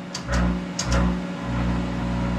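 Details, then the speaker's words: Monarch 10ee lathe electronic drive after speed compensation trim pot backed down from too high: even, steady motor hum holding one pitch with no surging; spindle runs smoothly. "ah isn't that smooth"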